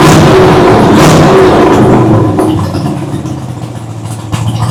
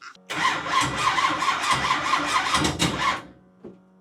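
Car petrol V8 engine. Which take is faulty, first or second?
second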